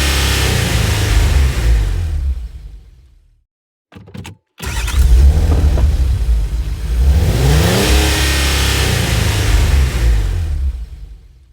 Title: Car Cranks Won't Start